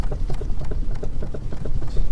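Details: Car rolling slowly at about 5–10 mph over a curb in a parking lot: repeated dull clunks, several per second, from a worn front sway bar link.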